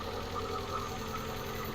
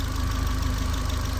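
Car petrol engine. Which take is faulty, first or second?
first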